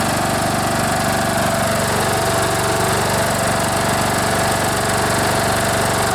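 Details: Troy-Bilt Bronco riding mower, Kohler Courage 18 single-cylinder, after carburetor rebuild for gas leak and gas in oil: steady even beat with no misses or surging; engine runs smoothly and sounds healthy, no fuel leaking.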